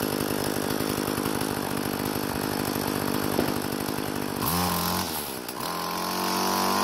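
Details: Craftsman two-stroke string trimmer after replacing broken fuel lines: a steady, crisp buzz drops cleanly and picks back up. It runs smooth and healthy; only the idle speed may need adjusting after it cools.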